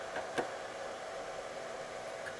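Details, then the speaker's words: Cellpro PowerLab 8 during 30 A regenerative discharge of an EV lithium cell down to 2.5 V: the cooling fan comes on shortly after discharge starts, a soft steady airy whir with no rattles, running normally. "after it starts discharging the fan comes on and you can hear the fan come on"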